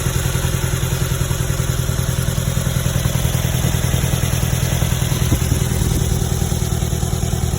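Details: 2011 Nissan Altima 2.5 S idling: uneven chugging with a stumbling, lumpy beat and dropped pulses; misfiring at idle and stalling, cause unknown.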